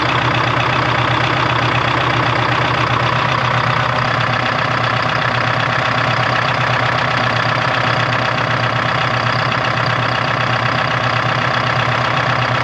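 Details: 1976 Ford F250 with a Detroit 4-53T two-stroke diesel idling with an uneven, lumpy beat of about two to three pulses a second. The idle was just adjusted but still isn't right.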